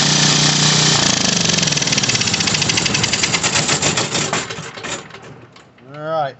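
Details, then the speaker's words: Briggs & Stratton 5550/8550 generator, model 030235, after carburetor repair and oil change, on the bench without air filter: fires promptly, fast even beat, then slows and dies at shutdown; normal start and run. "she'll fire right up and run."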